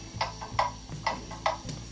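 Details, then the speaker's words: Clock movement on a test stand after oiling, ticks fed through a beat amplifier: sharp ticks about two per second with alternating long and short gaps, an uneven tick-tock; the clock is deliberately out of beat. "you can hear it's out of beat now it's an uneven tick and"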